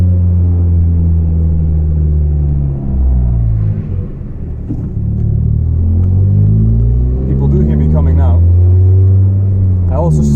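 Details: Volvo 440 driving with broken, loose exhaust section, rattling worsening, fumes entering cabin: deep, loud unmuffled drone swelling with throttle; exhaust leak.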